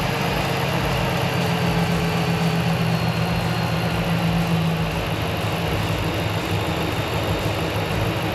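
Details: RAM truck on first start after engine work (around $5k engine): steady low idle with even unhurried rumble and no knocks or ticks; engine runs and sounds good, a code remains to check.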